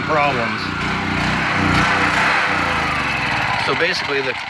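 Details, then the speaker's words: Champion generator engine after carburetor cleaning including the main jet in an ultrasonic cleaner: runs, but speed keeps swinging up and down instead of holding steady; surging, carburetor suspected of still not metering right, not confirmed. "carb cleaned up good enough to run but it surges so on a generator that's going to make a surge in the power it puts out"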